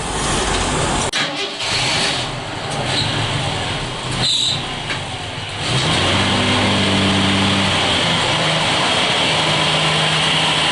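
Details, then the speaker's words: Jeep CJ just after swapping the Carter BBD carburetor for a Weber 32/36, first start with no adjustment: catches after some fumbling, then settles into a steady, even idle with no misses or knocks; idle still to be adjusted, vacuum leaks suspected. "I also need to adjust the idle, and sounds good, man. I've got to reroute a couple vacuum lines, make sure they're all done right, but it's idling again."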